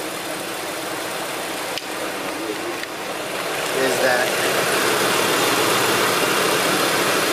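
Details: Land Rover Discovery 2 at idle after fan clutch replacement (coolant temperature had risen from 194 to 199 in traffic): even fan whoosh that swells slightly, no wobble, rattle or scrape; a separate exhaust leak is present.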